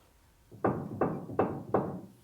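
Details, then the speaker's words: Four-cylinder Ford Ranger with a shimmy above 85 mph, front wheel rocked top to bottom by hand while checking ball joints and tie rods: four dull clunks a third of a second apart; wheel play knock. "top to bottom would normally be bald joints side to side as tie rod ends but it doesn't sound like sounds like"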